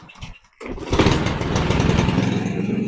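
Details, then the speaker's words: Small lawn mower that wouldn't start after winter, after carburetor cleaning, started cold: a sharp pull catches at once into a steady, even putter with no misses, smoking as expected after long disuse. Normal cold start. "Elle fume ce qui est normal. Ça fait longtemps qu'elle a pas tourné apparemment."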